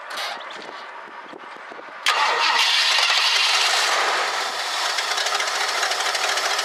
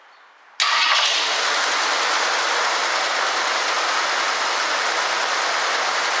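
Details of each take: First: 1965 Ford Galaxie 500 two-door hardtop, fuel poured into the carburetor after 5 gallons added to the tank: two seconds of cranking, then it catches and runs rough, sagging; little fuel coming from the fuel pump, owner thinks the pump needs replacing. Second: 1965 Ford Galaxie 500 after fixing a transmission vacuum leak, with the choke set and fuel now staying in the carburetor bowl; a fuel restriction from the tank is suspected. It cranks, catches at once and holds a steady even idle: normal idle.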